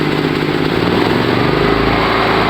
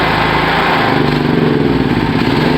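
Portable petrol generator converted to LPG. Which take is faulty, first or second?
second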